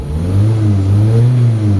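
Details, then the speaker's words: Mitsubishi Lancer Galant, 4G92 petrol engine, after repair of misfire and poor pulling: engine revs up smoothly and evenly, no misfire or chugging; normal revving (idle still drops when steering turned). "Pero okay na yung ano yung makina mga boss. Ayan. Yan. Maganda na siyang magalit mga bossing."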